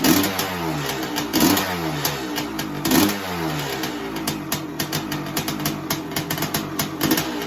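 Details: 1985 Honda CR500 two-stroke project bike, hard to kick-start, indoors: blipped in uneven bursts, struggling to settle to a steady tick-over; it only runs on choke though the pilot jet is clear, and the idle needs adjusting.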